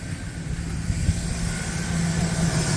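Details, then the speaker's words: 2008 Chevy Silverado LT 5.3L Vortec after replacing the water pump whose bearings had play and caused knocking and rattling: even steady idle, no tapping or knock, no leaks, heat working; normal idle after repair. "So we'll crank the Silverado up, let you hear that the noise has quit and that she is running. No leaks, we got heat."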